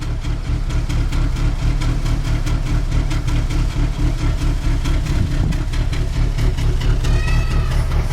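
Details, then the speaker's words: 2002 Nissan Altima at idle after replacing all four spark plugs and ignition coils: uneven loping, stumbling idle with shaking and heavy smoke; low compression suspected in cylinder three or four; later holds 1,500 rpm, no power; P0507 code. "shakes looks like there is not enough compression here in cylinder three or cylinder four the smoke is horrible"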